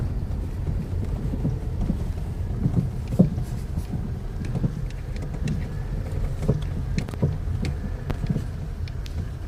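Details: Kia Rio JB driving over bumps: sharp irregular knocks from underneath over road rumble, a suspension knock suspected to be the stabilizer bar bushings and control arms, not confirmed.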